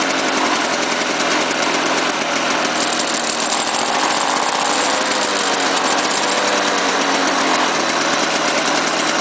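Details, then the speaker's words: Lawn-Boy 5127 two-stroke mower, first run after 10 years in a shed, with a fouled plug replaced and gas squirted in the intake: even, buzzy drone holding steady speed without stumbling or misses. The mower runs properly. "hey runs man in Canada you know foreign coil is not that bad I did have to squirt some gas in the intake but not about for 10 years"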